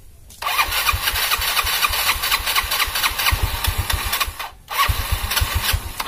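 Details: Yamaha Mio scooter after engine rebuild for oil smoking (oversize 50 piston, valve seals, gaskets, new plug), first start to check oil pump: catches at once, quick steady idle, clean restart, no rattle or knock; normal start.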